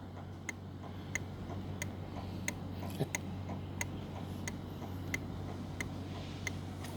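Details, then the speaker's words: SYM VF3i turn-signal flasher relay after modification to silence the loud tick: soft, light ticks about forty-five a minute, barely above a low hum; relay working and now quiet, loud tick gone. "Okey. Dah tak ada bunyi. Dah senyap."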